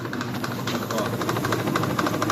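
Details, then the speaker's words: Consul Facilite 11 kg washing machine in spin cycle: rapid, uneven knocking over a steady spin hum, not a metallic bearing noise. "mas não é aquele barulho de metal, de rolamento, né? Que aí tem que fazer a mecânica. Vocês estão vendo essas batidas, né?"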